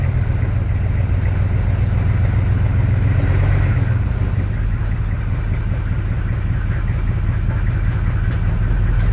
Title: knocking noise in rear end 1982 k20 suburban 6 2 diesel